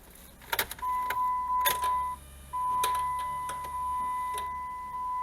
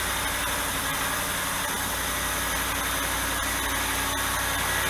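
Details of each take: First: Dodge Dakota V8 cold start on a spring/autumn-like morning: after the chime and starter, a loud, even rushing roar from the viscous fan clutch, nearly fully engaged, buries the engine; expected to settle as it warms. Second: Dodge Dakota V8 cold start after removing the fan clutch: steady even idle with smooth hum, no fan roar; noise settles within a minute; normal cold idle.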